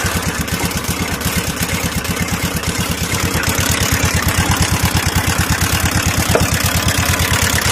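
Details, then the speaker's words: TVS Ntorq 125 scooter engine at steady idle with a regular knock about three times a second; the magneto-side flywheel nut was loose because a previous mechanic left its lock off. Found after removing the magneto cover. "तो इस engine में दोस्तों जो problem है दोस्तों जिसके वजह से आवाज आ रहा था तो वह है यह मैग्नेट साइड को मैग्नेट कवर को उतारने के बाद ना दोस्तों यहां पे देखिए"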